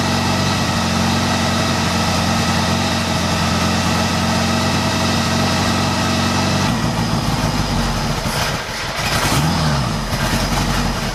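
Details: 1975 Honda GL1000 Goldwing after recleaning carb passages and jets, with a new battery: steady, even idle with a low throb, then a quick rev that settles back; runs cleanly on all cylinders.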